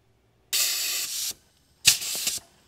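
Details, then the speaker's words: 1977 Cadillac Eldorado V8 with suspected engine damage (clatter on start, metal shavings in oil, coolant loss), leak-down test: two short thin air hisses from the cylinder, only about 10% leakage; cylinder sealing well. "wow der ist gut komm hier zehn Prozent"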